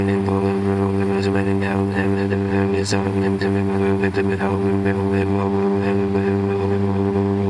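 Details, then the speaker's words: Toro walk-behind lawnmower salvaged from roadside trash, started on the first pull after adding fuel: steady, even low drone with no misses or surging; small engine running smoothly, normal running. "not bad right I mean uh I'm happy I grabbed this thing if I didn't grab it it would be the landfill right now I'm surprised it started with one pull"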